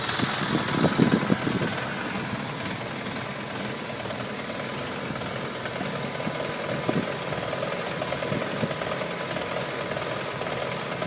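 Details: BMW F650GS single-cylinder motorcycle ticking over unevenly with a wavering beat; the idle is irregular and the engine frequently cuts out when revs drop.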